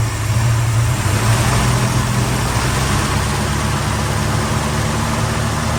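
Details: Valiant Charger VH, restarted after about a month sitting and refuelled: smooth, even idle with no knocks, misses or surging; runs normally, though still blowing smoke when warm.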